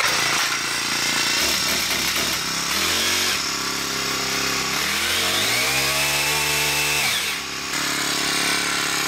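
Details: Poulan Pro PP5500P pole saw attachment on a PP428S string trimmer, small two-stroke with a carb that was too lean from the factory and was adjusted: buzzes, revs cleanly to a high steady scream and drops back smoothly; normal running.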